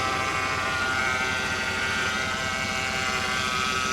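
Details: 2007 Mercedes GL450 with 275,000 miles at auction, heard from under the car: steady high whine over a rough-running engine; power steering pump groaning, likely low on fluid, suspected leak.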